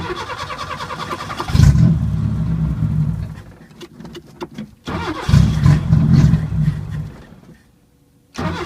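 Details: 1980 Chevy LUV pickup, barely run in years, vacuum line plugged, anti-dieseling solenoid reconnected, fuel pump running, owner suspects air drawn in on the fuel side: catches, idles low and lumpy, fades, fires again; rough idle.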